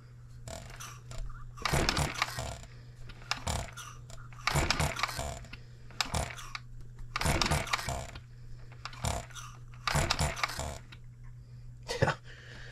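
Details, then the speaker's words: Model engine built 1988, not known when last run, crank just straightened, buzz-coil ignition, fuel newly flowing: steady buzz-coil hum under slow, repeated cranking bursts that never catch. The owner thinks it is flooded. "oh God and here that buzz coil going I think I flooded the living tar out of it"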